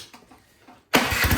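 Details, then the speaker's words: Craftsman snowblower after removing and cleaning the carburetor's dirty emulsion tube: silence, then catches and comes straight up to a steady, even run with no hunting or surging; normal running. "All right, it's not hunting, it's not surging anymore. So yeah, that emulsion tube was just dirty."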